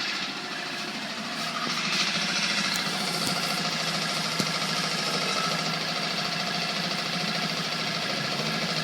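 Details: Coleman 5hp outboard, made April 2012, revved to about 2000 rpm: steady buzz with a loose, tinny rattle about three times a second, like a loose exhaust pipe; nothing visibly loose, source unknown.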